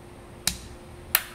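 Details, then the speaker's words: Small precharge relay on a DIY Tesla drive high-voltage setup (600 V fuse, resistor, Gigavac contactor) gives two sharp, dry clicks as the system is switched off and on. The relay closes cleanly, feeding current through the resistor-limited precharge circuit to the inverter. "so you can hear you can hear this resistor close excuse me this relay closed so now we have electricity uh flowing through the pre-charge circuit"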